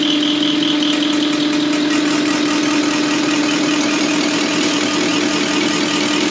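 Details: Deutz V8 diesel injection pump from a MAN KAT truck that had lost power (50 km/h max), cleaned and run on a diesel specialist's test bench; even fast pulsing with steady mid-pitched hum, sounding like a V8 engine; normal running.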